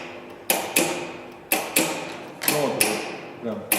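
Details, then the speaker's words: Transformer MIG welder with wire feed failure, after a board repair by resoldering, tested on the bench: crisp paired clicks about once a second, clean and regular, as the contactor pulls in and the gas valve snaps open. Normal contactor and gas valve clicking. "визуально видно, как контактор срабатывает и как клапан щелкает."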